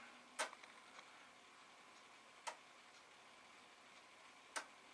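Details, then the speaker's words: Amiga 500, yellowed with a missing F10 key: sharp single clicks about every two seconds over a faint hum, the empty floppy drive normally polling for a disk. "oh well it's making sounds like it wants a disc and they'll go to put a disc in it's not making their sound interesting make your noises let's try again"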